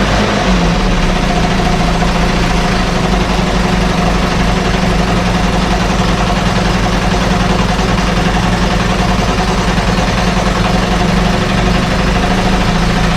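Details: 1968 Evinrude Fastwin twin outboard, 52 years old, run in a test tank with no work done; steady, even idle with smooth low drone, no misses or knocks; normal idle, runs like a top.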